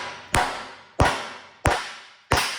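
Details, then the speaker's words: 1970 GMC C2500 front driver's hub that was running warm: a wheel bearing race is driven in with four sharp hammer blows. The ring goes duller, with a distinct tone change, once the race bottoms out fully seated. "Once it gets down in far enough, doesn't have much choice but to go in straight, and it's still going crooked. Had to open my mouth, didn't I? Ow, what the heck was that? Ooh. Make a very distinct sound when they finished going in."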